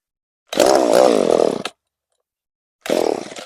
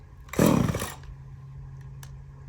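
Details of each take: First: Echo CS-3450 chainsaw after replacement aftermarket carburetor and new primer bulb, linkage sticking; two short full-throttle bursts warble and surge unevenly then cut out, owner thinks the high-speed mixture needs adjusting; rough running at high speed. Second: Echo CS-3450 two-stroke chainsaw after replacement carburetor, high and low mixture screws finely tuned; quick sharp throttle blip then drops straight to a steady, even low idle without dying; normal running after repair.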